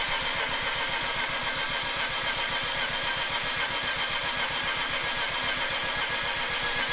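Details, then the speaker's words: Mazda RX-8 with half-bridge-ported Renesis rotary, first start after install on older Adaptronic ECU, attempt 2: fast, even starter churning throughout with no firing or catch; cranks but won't start, cause unclear. "Alright, so we're on attempt number 2. Let's see if it fires up. Something doesn't seem right."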